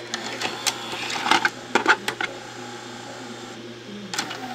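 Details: JVC BR-S611 S-VHS broadcast VCR showing code 32: uneven bursts of clicks and short motor whirs, then the mechanism stops without completing the tape load; the unit is light-sensitive and needs a belt change.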